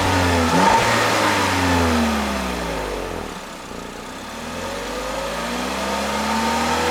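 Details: 2021 Peugeot 3008 1.6 THP Allure, 1.6 L EP6CDT turbo petrol (165 hp), 6-speed automatic: smooth clean rev rising and falling twice with even, steady pitch sweep, no knocks or misses; healthy normal free revving.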